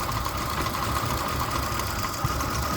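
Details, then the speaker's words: 2005 Ford Expedition 5.4L 3-valve Triton V8: uneven, lumpy idle with irregular thumps and visible shaking, like one cylinder misfiring. Misfire remained after replacing one coil and spark plug; owner fears a bent valve, unconfirmed. "You can see how bad it's shaking. You can hear it misfiring."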